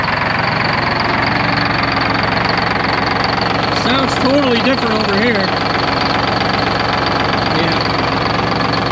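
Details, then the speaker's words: Detroit Diesel 12V71 in a 1973 Peterbilt 352 cabover, first run since 1984: rough lumpy idle, about three irregular pulses a second; one bank's cylinders hot and doing all the work, the other cold, needing the rack run and tune-up. "the balance between banks is way off this side's doing all the work these are all hot and the others are all cold well with the exception of that one"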